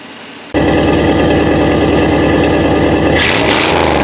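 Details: 1988 Chevrolet C1500 Silverado V8 with 439,000 miles, engine reportedly rebuilt at some point, started after sitting a long time. Starts instantly and settles into a smooth, steady idle with no knock or tick, even rumble; normal cold start and idle.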